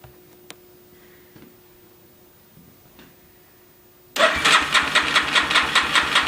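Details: 350 Warrior ATV after starter clutch replacement: starter spins the engine with steady even pulses about two a second but it never fires; cranks without starting, cause unknown.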